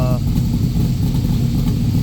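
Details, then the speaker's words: Backdraft Cobra 427 V8 on Holley ECU, warm at operating temperature, idling about 950 rpm after timing corrected from seven degrees too advanced: even, deep burble, no stumbles or ticks; sounds healthy, slight lean tip-in still to tune. "yeah. I mean, it's at temp now and I is close to where I want it. The idle is right about where it's supposed to be. 950. Um, so it sounds good."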